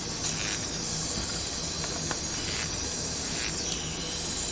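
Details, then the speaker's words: Cylinder leak-down test with spark plug removed and continuous air fed in; steady even hiss of air escaping on the muffler side, possibly past the exhaust gasket; the test needs a better seal to be done properly. "so somewhere here i need to like either get a better seal to do a proper test but that's where it's uh leaking air from"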